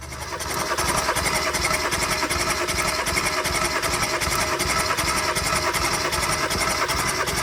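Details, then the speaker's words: 2016 Kia Soul 1.6 L with P0300 random misfire (cylinders 3 and 4), spark plugs removed for a compression test on the third cylinder: reads almost 150. Steady, even cranking about 2.5 pulses a second with starter whir. Engine cranking, good compression. "Listo. Este cilindro también está bien. tiene casi 150."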